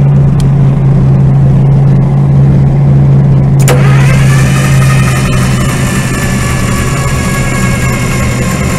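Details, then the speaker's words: IH UD-16 diesel power unit on a 1945 Chevy truck, after owner-fixed injection pump, fuel on with no leaks, radiator not yet mounted: heavy rhythmic churning about three to four beats a second, turns over but does not fire. "see if the love batteries are going to give us some energy to crank it over to see how many leaks we got"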